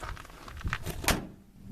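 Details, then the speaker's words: 1959 Ford F100 truck door after applying self-adhesive duct insulation inside the door and access panel: one dull, solid clunk that dies quickly with no hollow clang, a big improvement. "now nice okay that sounds really good that's a big Improvement"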